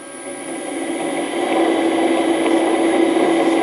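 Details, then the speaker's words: Original 1941 Westinghouse 1 HP three-phase lathe motor (13" South Bend) run on a VFD at 60 Hz before refurbishment: steady hum with a rough, gritty rumble from worn bearings, which are to be replaced. "okay so she runs and Ashley blues a ton of air there is some bearing noise in there that you hear"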